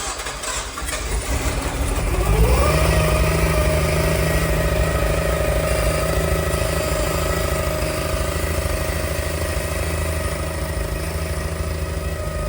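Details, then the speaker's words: Nissan Skyline running for the first time after about five hours of work that day. It cranks, catches and flares, then settles into a lumpy, unsteady, misfiring idle with turbo sound audible. It runs terribly and the cause is not yet known. "Um, it's, as I say, it's taking a long time just today to get that far, which is a massive success cuz it is now running. It runs terribly, as you can hear."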